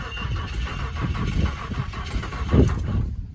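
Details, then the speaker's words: 1993 Nissan D21 Hardbody King Cab 4WD, automatic, 3.0 L V6. Wouldn't start after being parked; newer spark plugs were put in. Starter churns in short low pulses for a few seconds but the engine never catches; cranks without starting. "It tries to start, but it I parked it and it wouldn't start after I parked it."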